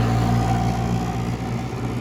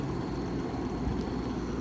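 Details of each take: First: 1967 Chrysler Airtemp Imperial 11k air conditioner, switched to cool: compressor, believed a Tecumseh AK or AJ, kicks in dimming the lights; steady low hum with thin tone settling into normal running. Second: 1967 Chrysler Airtemp Imperial 11k air conditioner, not run in a while, on cool with fan on high, evaporator frosting, full charge; smooth, even low rush of air with no rattles, knocks or squeals, quiet and already blowing cold.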